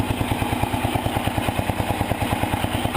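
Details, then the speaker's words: 1975 Sears Suburban ST16 single-cylinder tractor after starter brush cleanup, started without choke; even thump with only a faint light tick, valve train quiet, normal running. "Try giving it a rev. Oh, the valves are so quiet. Oh, I can't. There's just a very slight little sound."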